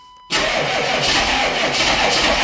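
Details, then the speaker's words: 1995 Chevy 3500 one-ton dump truck, 6.5L Detroit diesel, first cold start after sitting all winter: catches abruptly into loud uneven clatter, whole truck shaking, needs throttle feathering to keep running; rough running after cold start, cause unknown. "The whole truck shake. Has this been started this No, it's been sitting all winter."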